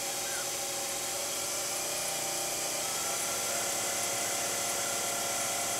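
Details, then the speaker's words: Low-pressure diaphragm misting pump motor on variable voltage, ramping up from 80 volts: high, buzzy whir with a steady pulse about two to three times a second that holds even as speed rises; normal running. "now i'm going to turn up the voltage right now i like i say it's at 80 volts and you'll hear the motor start to ramp up"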